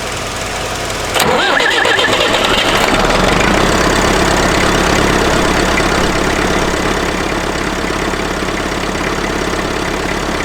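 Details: IMT 560 tractor diesel after a temporary electronic fuel pump install, with pump pressure about 3.5–4 psi. Cranks briefly, catches at once, and settles to a steady, even idle with no misses or knocks. Normal start.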